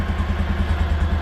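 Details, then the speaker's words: 2016 Kawasaki Mule 610 after badly needed valve adjustment, in neutral, not yet warmed up: steady even low thumping idle, no ticking or clatter; runs much better, idle a bit high. "yeah that sounds way better than what it did well it sounds and runs good"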